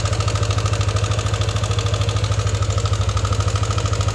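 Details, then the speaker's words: Yamaha NMAX version 1 single-cylinder engine at idle: rough, even tick about two to three per second over the thump, noisy and coarse; worn camshaft bearing. "So issue nito may lagatik maingay malaman parang magaspang. Ayan so ang issue maingay lagatik"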